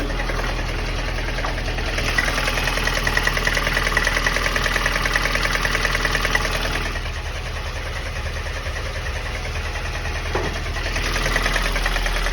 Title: Стук в двигателе ВАЗ 2108 8 клапанов. Что стучит? Помогите пожалуйста #ваз